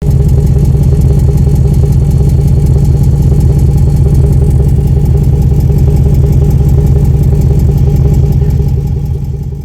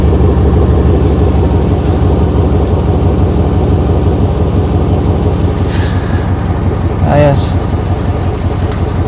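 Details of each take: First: 2008 Chevy Impala SS 5.3L V8, noisy smoky exhaust: idles with loud, deep, raspy exhaust beat from a leak at a pipe joint. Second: 2008 Chevy Impala SS 5.3L V8 after temporary clamp-and-screw repair of a loose exhaust/muffler joint; steady deep idle with even burble, no ticking, puffing or visible smoke.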